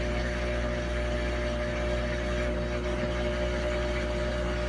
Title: New Samsung Washer Making Loud Noise